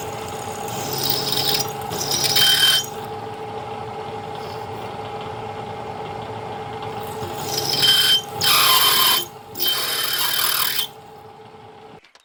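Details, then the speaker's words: 1940s 14-1/2" South Bend lathe drilling 5/16" holes in tool holders with anchor lube: sharp squeal each time the bit bites; dull bit or work-hardened material suspected, drill likely ruined; drill bit squeal. "I'm sure you heard that squeal. That is either a dull bit or a work hardened piece of material."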